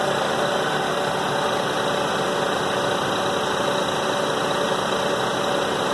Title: Rattling/clattering noise 97 Toyota Avalon